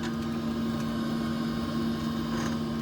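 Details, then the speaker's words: Camper van diesel parking heater (boiler-type, antifreeze circuit for floor heating and hot-air fan) running normally: smooth constant low hum and steady fan drone, no knocks; owner says it is not noisy at all on the low setting. "약하게 틀어놓으면 전혀 시끄럽지 않아요. 조용해요. 히터가 돌아간 소리예요."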